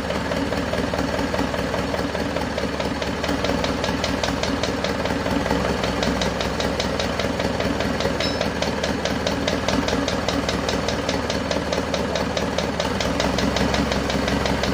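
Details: Isuzu Panther 2.5 diesel at its first start after an overhaul and turbo/intercooler upgrade, assembled about 2 weeks earlier, warming up. Fast light ticking in time with a slightly rough idle. The mechanic suspects parts not yet settled; the finding is valve train ticking from loose valve guides.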